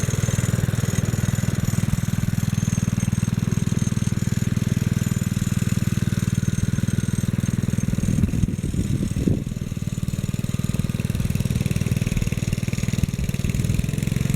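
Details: 1957 Bolens garden tractor (tag Type 21HD01), single-cylinder engine revived after years sitting, with points cleaned, fuel tank changed and carburetor cleaned, main jet just adjusted: steady, even beat about four per second, no misses or hunting; runs clean and healthy.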